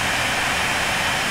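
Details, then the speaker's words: AMD R9 290X graphics card blower fan at 75% speed, card reaching about 93°C: steady, very loud rushing hiss with no tone or rhythm. Loud cooling fan at high speed. "holy Japanese it sounds like a jet plane that has escaped from the airport and is trying to crash land into the yard next to you I mean this thing is amazingly loud"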